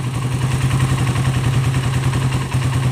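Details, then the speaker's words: Suzuki Satria FU 150 carburetor motorcycle, serviced for fuel flooding: steady, even low idle putter with regular firing pulses and no hunting or stumbling; flooding upsets idle speed, but it idles normally. "nah normal dia ya dia kalau banjir itu langsamnya tidak normal Ya tapi kalau dia nggak banjir Dia normal ya banjir itu berpengaruh pada langsam langsung langsung putaran mesin ya kayak gitu ya bisa diperhatikan ya"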